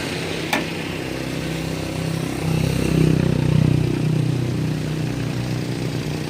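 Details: Toyota Wigo after a sudden no-start from a dead battery, now running on a replacement battery: engine settles to a steady, even idle with a brief rev midway, rain in background; healthy normal idle.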